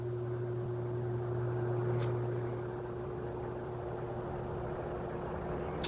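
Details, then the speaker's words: 16-inch Quality Superior pedestal fan after repair, on low speed: low, even motor hum with faint steady tone and soft airflow, no rubbing or rattle; healthy fan on low. "fairly quiet too like this one actually has an actual low speed which is insane"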